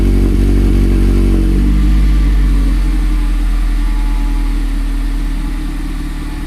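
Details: 2019 Mazda MX-5 Miata (ND), first cold start with new Good-Win-Racing RoadsterSport Race axle-back exhaust: loud, deep drone at a raised cold idle that eases down smoothly over a few seconds; normal cold start fast idle.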